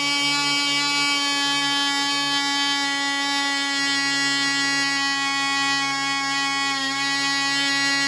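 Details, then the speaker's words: Black Widow mouse racer first test run, 24% nitromethane fuel, 5x3 prop, high-compression head, needle at three turns: steady high buzzing drone at one even pitch, runs smooth but slower than expected; loose screws later found, fuel probably foaming. "all right I ran a long time maybe it's not running as fast as I thought tell me what you think"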